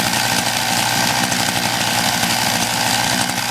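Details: MVS 10 gas scooter, started cold with primer and choke: even, buzzy two-stroke idle with fast steady beat, no stumbling or misses; running fine.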